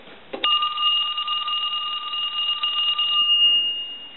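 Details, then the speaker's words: Original Mickey Mouse telephone during checkout on a line analyzer, after dialing out and transmit/receive were confirmed: a clean, even ring lasting about three seconds with no rattle or dropout. Normal ring. "so now what I want to do is I want to ring the telephone"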